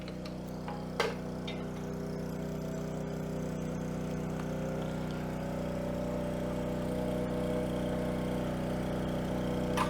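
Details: Coleman Powermate 3750 6 hp generator, stored for years with non-ethanol fuel, running with lights plugged in as a light load. A steady, even hum at constant speed with no misses or surging; the generator is healthy.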